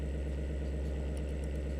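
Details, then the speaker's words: 12 V DC 0.2 A computer fan (model F1202512 SM), microphone touching it: steady low hum with a coarse buzzy rattle; worn sleeve bearing lets the fan vibrate badly, before cleaning and oiling. "It's actually running pretty good right now, but it's really vibrating badly. I realize it would be making that noise if I laid it down, but just by spinning it manually, you can feel the vibration."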